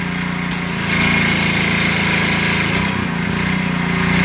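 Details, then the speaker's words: Simpson 3400 PSI pressure washer with a Honda GX200 engine, after the unloader was cleaned and blown out to fix no pressure: a steady buzzing run that digs in and eases off as the gun triggers and releases; unloader working normally. "that sounds better already [Music] i can hear the unloader you can hear the change of the engine load and it's going back"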